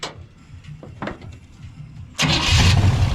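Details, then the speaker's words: 1956 Chevy 150 V8 after sitting, being brought back to life, no coolant circulating, timing not yet set: uneven cranking for about two seconds before it catches and roars to a loud idle; hard start. "wow that was a hard start sounds good once we get the uh timing and everything set"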